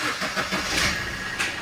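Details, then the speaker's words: Suzuki Swift diesel after repairing a loose fuel temperature sensor coupler (DTC P0180, now moved to history): short crank, then it catches into an even clatter with no stumbling, a clean start; MIL still lit and needs clearing. "Start হয়ে গেছে আমাদের গাড়ি, এমআইটা এখনো জ্বলছে, MI light জ্বলছে, সেটা clear করতে হবে।"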